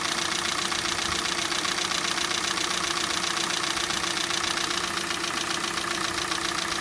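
Cold idle with a steady light ticking knock, about two and a half per second, riding over the engine; cause not pinned down. Cause suspected, not confirmed.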